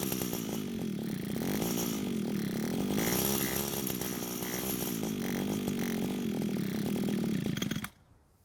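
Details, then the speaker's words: Older gray Echo trimmer, unused for a long time, runs only fully choked with a wavering, hunting two-stroke pitch, then cuts out; the carburetor is not delivering enough fuel when unchoked, so it runs lean. "so it seems the engine only wants to stay running while the carb is fully choked which means it's not able to send enough fuel to the engine when not choked"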